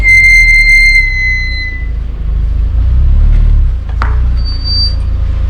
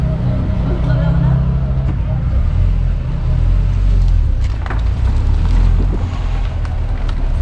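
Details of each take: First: Squeal from the rear brakes on a car with freshly resurfaced discs and brand-new original-equipment pads: a sharp, high squeal ringing about two seconds over low engine rumble. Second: Car braking on the road after a fix for squealing rear brakes with new pads: only road rumble and tyre noise as it slows, with no squeal or scraping. Normal braking, no squeal.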